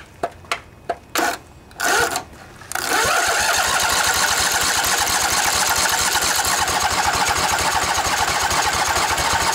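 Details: Junkyard Husqvarna riding mower's Briggs & Stratton Intek OHV twin, 20–22 hp, model 40777, new carburetor, fuel pump bypassed, fuel solenoid confirmed clicking: several slow, weak cranking bursts on a weak battery, then it catches and settles into a steady, even idle with no misses.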